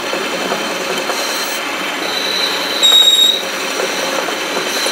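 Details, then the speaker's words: Wood lathe built like a metal lathe, boring an internal undercut about 3/8 inch wide before cutting internal threads: continuous dry hissy scraping with a brief shrill squeal as chips jam between the boring bar and bore. "some of that noise you hear the chips getting caught between the boring bar and the board"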